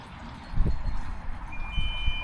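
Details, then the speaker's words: HGV walkaround light check: handling knocks, then a faint steady high beep from the trailer reverse alarm as the reverse lights come on in the test sequence; working normally. "Obviously, you can hear the trailer beeping as well."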